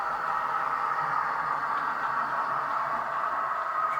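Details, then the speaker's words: Model locomotive with pancake motor running at half speed: smooth, even mid-pitched motor whine, steady with no knocks or catches; running cleanly. "So it's coming around at half speed at the moment. And you can still sort of hear the whine of the pancake motor."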